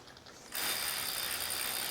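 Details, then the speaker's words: Catrike Dumont recumbent trike on a Wahoo KICKR Core trainer, shifted to gear 4 with the chain line aligned: crisp, fast, even freehub ticking while backpedaling, no skips or grinding; normal. "No issues backpedaling."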